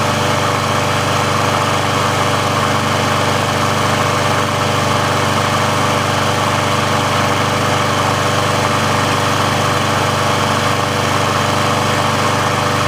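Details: Briggs & Stratton engine on a Sears Craftsman mower after service/repair, warm with the auto choke open: steady, even single-cylinder drone at constant speed with no misses, surging or knocks. The auto choke works as it should, so warm running is normal.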